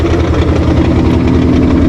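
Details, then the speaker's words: 2015 Ford Mustang S550 (built December 2014), manual, idling in neutral: loose, even rattle pulsing under steady idle; fourth gear rattling in the transmission housing, not the engine; gear rattle at idle. "that's not the motor that's not anything up front that is fourth gear flying around in the transmission housing"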